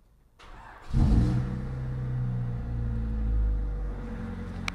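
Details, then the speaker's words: Honda Civic EK jump-started with a Xiaomi jump starter using its boost button: short crank catches at once and settles into a steady, even idle; normal cranking and starting. "Tapos pagka-start natin, tatanggalin natin yan. Tanggalin na natin. So, diba nag-start?"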